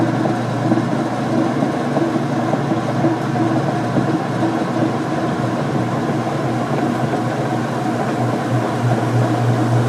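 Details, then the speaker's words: Whirlpool Direct Drive washer spinning a heavy load of towels with fabric softener; a steady, even whir with water swishing out and no thumping. The load is very well balanced and the spin is normal. "fabric softener but quite a bit of load on it we can hear the water being swung out at the towels there we are of the most balanced I've ever seen"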